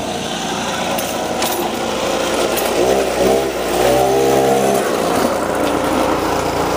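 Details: Boreem Tankman scooter, recently revived after sitting on a farm, riding along the sidewalk: a raspy, uneven, misfiring buzz that swells and sags and never pulls cleanly. It runs poorly and won't rev without the choke, running only half choked.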